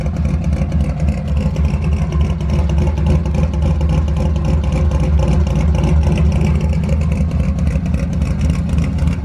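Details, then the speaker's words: Ford F100 V8 on its first public drive, started fairly cold, gives a deep rumble under acceleration with a loose metallic exhaust rattle because both exhaust hangers are broken. "all the rattling you can hear is my exhaust hangers they're both broken"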